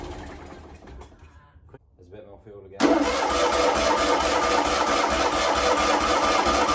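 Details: Fiat 126 off the road for 10 years, started with petrol poured down the carb: quiet cranking, then it suddenly catches and runs rough and loud briefly before dying; fuel starvation, not pulling fuel from the tank, old fuel lines and filter suspected.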